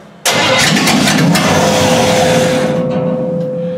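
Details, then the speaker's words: Engine cranks with a steady, whining starter rhythm but never fires; carburetor bowl appears dry with no fuel pumping, fuel starvation. "Canada little bowl sounds like it's dry still I got no uh pumpage"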